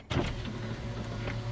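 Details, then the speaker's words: VW EOS convertible roof after swapping the pump at the rear (two bolts), whose fault had made the roof stop mid-opening: steady, even low pump hum, no grinding or stutter, roof opens and stands up; normal roof pump operation. "does go down some roofs opening and I already often hear that the pump working in the back and the roof standing up so good result"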